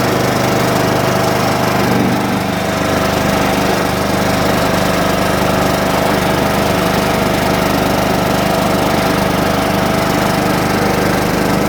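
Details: John Deere mower, cold start on a 47° morning after sitting with a weakening battery: small single-cylinder runs at a smooth, even steady speed, no misses or knocks; healthy drone while warming up.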